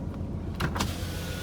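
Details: Pontiac Grand Prix that had sat on a farm: a short, smooth power-window motor hum as the glass travels, with no grinding, binding or clicking. The window motor works fine.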